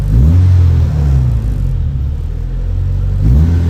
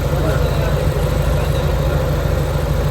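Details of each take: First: Honda Civic EK with check engine light and high idle (throttle body/IACV reportedly cleaned), at warm water temperature: idle reaches about 1400 rpm and bounces up and down every two to three seconds; unstable high idle. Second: Honda Civic EK, warm, after idle air adjustment for the aircon load: deep, even, steady idle with AC on, no hunting or misses; idle now normal.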